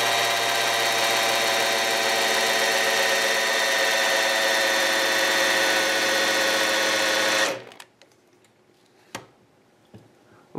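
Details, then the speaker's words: 1985 Camaro IROC-Z Z28, TPI LB9 engine, 101,000 miles, parked 25 years, rebuilt: prelubing with a big half-inch electric drill; steady high whine holding a constant note then stopping, drill loading normally as oil pressure builds. "you can you can hear the drill load down this is a big um a big half inch drill and when you get get the oil pressure built up the you can hear the load and the motor on this drill gets hot in a hurry"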